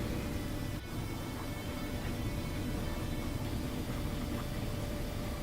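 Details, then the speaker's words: Frigidaire dryer after replacing the squealing rear drum bearing: steady, even tumble and motor hum with no squeal or metal-on-metal scrape; back to normal. "That sounds much better. So back to normal."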